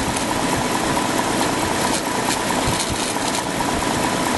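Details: 2004 BMW 545i automatic, N62 V8 petrol: busy, even idle with a dry rustling clatter under the engine note, audible from about 8 seconds in; bad bearings are suspected, unconfirmed.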